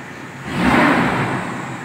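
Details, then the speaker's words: 1997 Toyota Kijang carburetor after Blackcore tuning (previously heavy pull, hesitation in 3rd gear), AC on: throttle blip rises quickly and cleanly and settles back with no stumble, throttle feels light; normal free revving. "kita coba hidupkan AC terus kita coba gas masih enteng"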